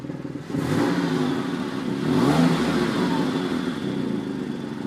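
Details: 2003 Porsche 996 Carrera 2, with a strange sound that appeared suddenly one day: the engine revs up and back with an uneven, clattery undertone over the exhaust note; abnormal engine noise, cause unknown.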